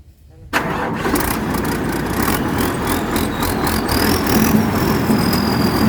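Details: Diesel rice combine harvester that would not restart after stalling; after the pump mechanic works on the injection pump (a stuck pump plunger was suspected), it is quiet at first, then catches after half a second and settles into a steady, even clatter. Starts and idles normally.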